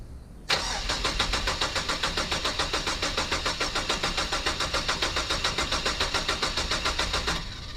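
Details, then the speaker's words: 2007 Mazda 3 2.3L after head gasket replacement and reinstalling the cylinder head and timing, first start, then at full temperature after an oil change: catches immediately and settles into a smooth, even idle without knocks or misses. "It is running. Gave it an oil change. We're running. We are fully up at temperature."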